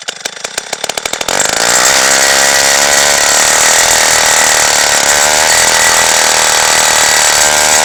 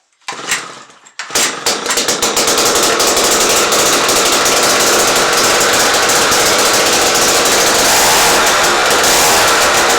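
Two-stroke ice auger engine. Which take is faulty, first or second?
first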